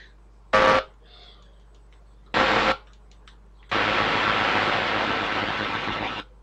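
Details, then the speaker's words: AM radio tuner on a restored unit, aerial on an AM connection, trying 1332: bursts of harsh hiss and crackle swamp the station, caused by interference from a cheap switch-mode power supply plugged in nearby. "people i found the reason why the am was so noisy this is the culprit right here at this little power supply plugged in quite near it it's thrown out a ton of interference"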